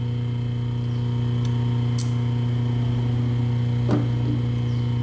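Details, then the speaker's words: Rewound three-phase motor on 220 V single-phase mains with a permanent capacitor; steady deep electrical hum, no rubbing or knocking: normal running. "No caso ele teria que rodar sentido horário agora. Aí rodou no sentido horário pra vocês verem. Deu certo."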